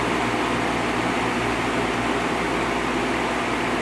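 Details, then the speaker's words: 1950s Patton 18-inch High Velocity fan, 3.2 A GE shaded-pole single-bearing motor, after repair (part pounded out to ease pressure on the inner collar): smooth even whoosh and soft steady hum, no rubbing; normal running. "yeah that's much better going to let it run like that for a while and see what happens but I think it's going to be okay"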